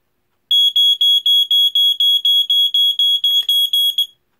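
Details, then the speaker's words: Vintage Fyrnetics Lifesaver 1255 hardwired smoke alarm (2nd-gen F-900D) tested on battery backup: loud shrill beeps about four per second in a steady run, then stopping; slightly higher pitched than the AC-powered unit, normal test. "so that one is a little bit higher pitched as you can hear um so uh they both sound in a five six which is exactly the same coding that all the second gen f900ds that i've heard do"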